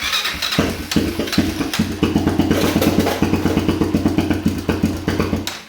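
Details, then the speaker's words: Honda TRX400EX ATV after a starter clutch replacement, running with a vacuum line undone and the carburetor not attached. Uneven chugging at roughly two to three beats a second with sharp ticks over each firing; it stumbles along and the valves sound noisy. "It's trying. Got some noisy valves."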